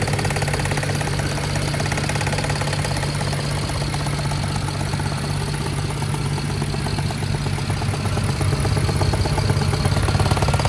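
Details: 2011 BMW 528i F10, N53 3.0 L I6, 272 hp, check engine light on: deep loping idle with uneven shudder, roughly three beats a second, diesel-like; misfire at idle.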